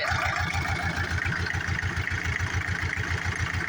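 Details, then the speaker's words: John Deere 304H loader diesel, previously stalled and cranking without starting, now firing: steady, even idle pulsing at about 105 beats a minute with no misfire. Running smoothly. "I mean uh I might just change that filter out let's see what she does oh there it goes that was definitely it"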